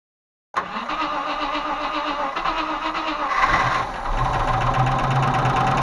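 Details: Range Rover Classic 3.5 V8 with the intake manifold removed and cleaned; oil was lost when the oil pressure sensor was unscrewed. It settles into a fast idle with light uneven ticking: hydraulic lifters knock.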